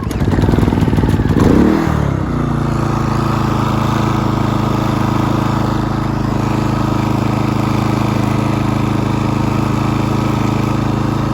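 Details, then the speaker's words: Pulsar GD400BN dual fuel inverter generator: rough start then steady drone with shaky buzzing rattle; spark plug rubber not seating in its hole lets vibration spin off the plug terminal nut, worsening over time despite tightening. "I'll fire it up you'll see some vibration running and like I said it only gets worse over time with the vibration because it's spinning off that tmal nut and I I have tried tightening it"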